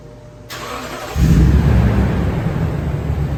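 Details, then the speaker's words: 2019 Toyota Tundra flex-fuel V8 back from the shop after fuel-pump-like symptoms: quick crank, fires and roars up cleanly, settling into a strong even deep idle with no stumble; normal start. "Sounds like a dream."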